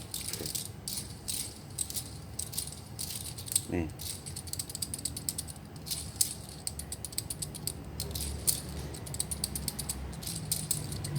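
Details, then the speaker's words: Car wheel bearings, inner and outer, spun by hand with the wheel off during brake work: dry, uneven rattling and clicking, rough vibration felt by hand, louder than a new bearing; both badly worn. "Sama-sama bunyi, cuman kalau yang rusak kan lebih keras bunyinya, b"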